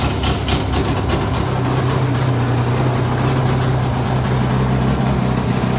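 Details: Polaris XC600 two-stroke snowmobile in a cold shop after new rings, idling fast before adjustment: loud, raspy idle with a sharp open exhaust bark over a steady drone. The exhaust gasket is missing, causing an exhaust leak.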